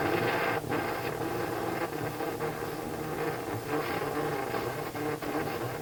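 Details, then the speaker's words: Philips console stereo tube receiver powered from an external bench supply at 100-plus volts with rectifier tube isolated; hissy garbled audio with irregular pops and dropouts; power supply apparently ruled out, filter capacitors not yet isolated; garbled audio and popping. "Interestingly enough, we got the garbled, and we also got the popping."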